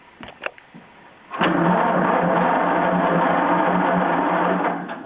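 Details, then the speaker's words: John Deere 420 Crawler tractor, last ran two or three years ago: steady even cranking for several seconds with no firing; no spark, points being checked for gap. "he keep Keeper's going to turn the power on and let's see if we got any spark doesn't seem like it does"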